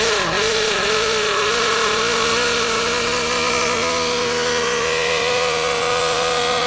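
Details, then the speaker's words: Kyosho MP9 nitro buggy engine being tuned: high buzzy note holding steady and slightly wavering with no crisp pickup. It runs sluggish because the mixture is too rich, not lean. "Now the reason it's sluggish like that is because it's too rich. A lot of people make the mistake of saying this is lean. It's not. It's too much fuel getting into that engine and it can't burn it."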